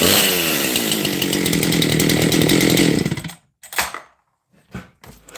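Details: Husqvarna 268 XP chainsaw with lightened flywheel, lighter crank, tight squish, low exhaust roof and case-fed transfers; at full throttle it screams with a loose, burbling, uneven four-stroking beat under load; carburetor running rich.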